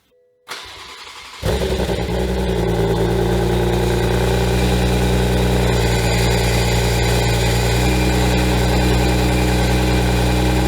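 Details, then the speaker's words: Rebuilt wrecked 2021 Toyota GR Supra at first start in sport mode with aFe cat-back, catless downpipe and stage 2 tune: a steady metallic screech and grinding over the idle, quieter after the starter was given more space, so the starter is suspected of rubbing the flex plate. "It's still there, but it's way quieter. So, I think that starter is our issue."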